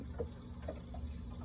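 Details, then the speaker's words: ProMariner ProTech battery charger, powered for 20 minutes after seeming dead: steady low buzz with thin high whine and faint chirps, sounds as if something is burning inside; abnormal, cause unknown. "it almost sounds like something's funky and burning in there so it's been on for 20 minutes and I tested it wasn't doing anything now it's doing something but that doesn't sound good"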